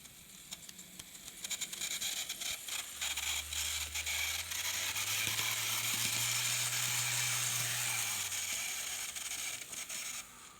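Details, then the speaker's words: Kato N scale C44-9 model locomotive, custom numbered, in good shape but running a little noisy on the track before lubrication and wheel cleaning: harsh high-pitched gear whir over a low motor hum that climbs with speed; noisy dry drivetrain. "i think it runs a little noisy and let's go try it on the track so it runs okay but"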